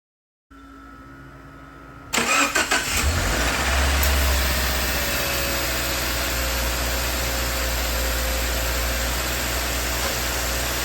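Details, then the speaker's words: 2014-2018 Subaru Forester after replacing the accessory V-belt, tensioner assembly and idler pulley for whining/screeching: engine starts and settles into a smooth, even idle with no belt whine or squeal; problem resolved. "as you can hear everything is humming along nicely and this problem has been resolved"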